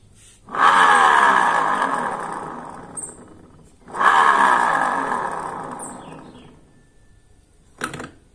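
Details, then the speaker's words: Honda Vario 125 LED New scooter CVT, rear wheel hand-spun with rear pulley fitted after gearbox checked smooth without it: rough gritty grinding rising with spin, worse at higher speed; noise traced to rear pulley, likely worn inner bearing. "Nah bisa dipastikan bunyinya itu Dia berasal dari puli belakang ini jadi ada kemungkinan ini si bearing yang ada di dalam nih ini bearing ini udah kena"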